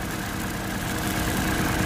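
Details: Fuel-injected Suzuki Multicab petrol engine idles with a low, uneven, lumpy beat, a misfire being checked without a scanner; cylinder number three and the ignition coil are suspected, not confirmed.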